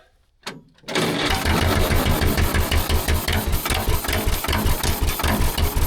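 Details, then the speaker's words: Gasoline pony starting engine of a 1940s Caterpillar D8 dozer unmoved for decades, running on old gas already in its tank: after a short silence it catches into a quick, slightly uneven chugging beat. "Unbelievable. I can't believe it. It's running off of gasoline that was already in that pony tank."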